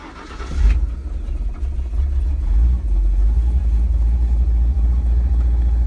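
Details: Ford 460 V8 converted to FiTech fuel injection, cold: inline fuel pump primes, then a quick crank catches at once and settles to a deep, even rumbling idle with no stumble or miss; runs well.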